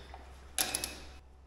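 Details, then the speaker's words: Starter relay clicks with no crank while trying to start the homebuilt snow blower engine; 12 volts present at the crank wire but no power reaching the starter. "I found the problem we can hear the starter really clicking there was 12 volts coming out of the crank wire I trace it back to the starter and no power"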